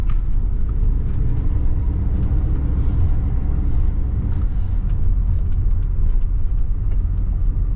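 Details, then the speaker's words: 1979 Pontiac Trans Am 10th Anniversary V8, revived after sitting since 1995, running on fresh 91 octane, possibly still burning off some old fuel. A deep, even rumble with no stumbles or misfires; it smoothed out and runs healthy. "seems to be running really good. It really smoothed out. Gosh, this thing sounds like it's fuel injected now."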